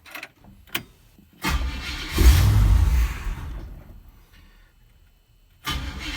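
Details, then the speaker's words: 1965 Oldsmobile F-85 Cutlass, cold start with a newly added fuel filter only just filling: it cranks, catches and revs briefly, then sags and dies within seconds. Fuel starvation, as fuel has not yet reached the carburetor. "it's starting to get fuel to the fuel filter. So here in a little bit, it should be able to pump it from there through the fuel pump and into the carburetor"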